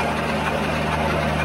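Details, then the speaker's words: 1963 Studebaker Lark Wagonaire parked 39 years: steady, even whir of the starter turning the engine over with no grinding or clicking; normal starter cranking, starter sounds great. "I did I did but the starter sounds great you know it does and we were prepared just in case"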